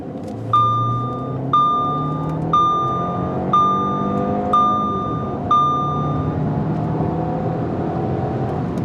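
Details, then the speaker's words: 2009 Audi A4 2.0T, fully warmed up, right after a new spark plug change, accelerating hard: engine pulls cleanly with a smooth rising note under a cabin chime, no misfire or stumble; normal running. "The new spark plugs are sparking. The cylinders are cylindering. Everything seems to be good."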